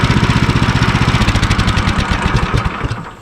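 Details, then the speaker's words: Woodland Mills sawmill engine (HM130/HM122) at operating temperature, after idle speed was turned down. Steady single-cylinder thump near four beats per second with no high-pitched centrifugal-clutch pinging, then shutoff: normal idle, clutch no longer engaging. "all right so now you don't hear that pinging sound that high-pitched tinging is gone that means the clutch is not engaging anymore"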